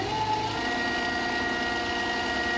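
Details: Vevor 8X14 mini lathe after upgrade from 3/4 hp brushed motor to 1 hp servo motor; steady smooth hum with faint constant whine, no rubbing, squealing or rattle; servo drive running cleanly, quieter than the old one.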